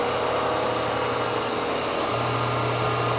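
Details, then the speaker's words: Face milling a warped Ford V10 exhaust manifold with a 3-inch face mill: a steady cutting hum with uneven chatter and a shift partway through. A few slightly worn inserts are suspected of grabbing instead of all of them. "i have a suspicion i have a couple of a couple of the inserts that are slightly worn than the others because it seems like it's grabbing on it sounds like it's grabbing on a few versus all of them"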